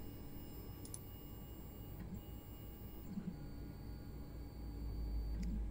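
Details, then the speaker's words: Anycubic Mono X resin printer homing its Z axis after a spacer fix that lowered the Z stop sensor plate, with paper standing in for the vat/FEP: a quiet, steady motor hum with faint ticks and no crunching or grinding, so homing is normal. "let's press the home button and see if we get the same crunching noise we got before"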